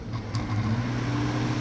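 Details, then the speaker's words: Toyota Camry (about 2000) electric cooling fan after fix: steady smooth low hum with no rattle or wobble; earlier it vibrated and was noisy from imbalance, repaired by securing it tightly. "ahora sí ya no vibra tanto y ya no hace ruido porque hace rato se hacía mucho ruido porque el balanceo que decía"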